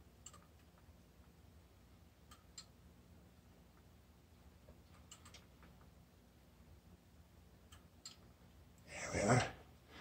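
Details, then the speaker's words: McDonnell & Miller #67 low water cut-off on 30+ year old Weil-McLain EG steam boiler, pre-season start-up with stuck float: sharp isolated clicks as float is manipulated, first click should shut burner, second should turn on feeder; normal switch operation. "there's two switches normally on normally off depending on the position of the float and that the first click should shut off the burner and the second click should turn on the feeder"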